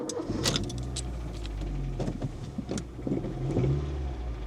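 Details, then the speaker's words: 23-year-old Honda Jazz, 100,000 miles, last serviced in 2019, just after start: a light, quick tapping over the idle. Owner suspects very low oil or sticking tappets, not confirmed. "That sounds bit bit tappy like it's either very low on oil or we got some sticking tapets maybe."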